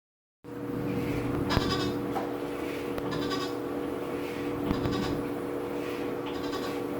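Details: New Whirlpool washer, model WTW4816FW: a drawn-out, goat-like bleating moan repeats every couple of seconds over the steady wash hum; cause unclear, owner unsure whether it is normal.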